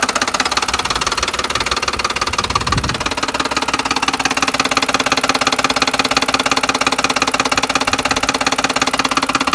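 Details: 2010 Ford F-150 XLT 4.6 3V V8, hot at idle after a drive, check engine light flashing: a loud, fast, sharp knock hammering steadily through every revolution; the sound came and went intermittently.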